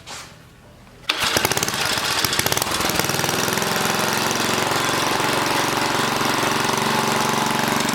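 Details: 1980 rototiller, small single-cylinder engine started with manual choke, runs with a rough, uneven beat that won't settle; something wrong with the throttle linkage, handle to be moved up.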